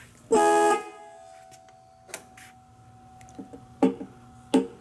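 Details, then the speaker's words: 1942 Harley-Davidson Knucklehead horn, working again after cleaning dirty wire connections and horn button: one strong clear blast, steady pitch about half a second, then faint clicks, sounds like a train coming; horn healthy. "So I was really curious to what they sound like. Man, that's pretty cool. They'll hear you now. Sounds like a train coming."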